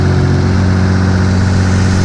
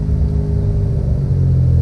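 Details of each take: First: Restored Mitsubishi 3000GT VR4 after fitting the downpipe and plugging in the O2 sensor: steady, fast idle around 1800 rpm, down from above 2000; still idling high, owner suspects something left unplugged. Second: Restored Mitsubishi 3000GT VR4, twin turbo, after a parked rest following hard driving: a deep, even rumble builds cleanly through the revs into third gear with no stutter. The earlier breakup is gone; the owner suspects fuel cut, though the idle is high again.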